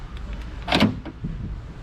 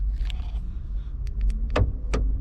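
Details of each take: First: and that seems to work so with that working guys we're just gonna go ahead and just lock this back over here since now everything is working Second: Chevy Malibu trunk latch actuator with the trunk release pressed: repeated sharp clicks about every half second, then a brief buzz, but no release clunk. The actuator tries but fails to unlatch.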